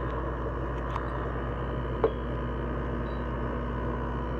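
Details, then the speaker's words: LG window air conditioner compressor kicking in after startup: steady even hum with soft airy rush and one faint click, refrigerant noise fading in after a second or two, no rattles or knocks; normal compressor running. "hear that the refrigerant is kicking in because you hear it you hear that noise it makes that's compressor page in like it usually fades in after like a second or two"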